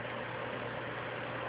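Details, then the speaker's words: PlayStation 3 during Blu-ray drive remarry, ejecting disc: steady even whooshing roar in background, fan working hard; owner says console has a loose RSX graphics chip needing reflow. "And I don't know if you can hear that sound in the background, but this PlayStation has a loose RSX chip, so it has to be reflowed."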